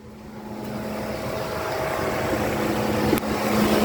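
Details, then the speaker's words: Radiator cooling fan running on a cold engine with the ignition on makes a steady whir and hum that slowly builds as it spins up, then turns off about 30 seconds after the key is removed; normal cooling fan operation. "sounds and is turning as you noticed the fan is on even though the engine is cold"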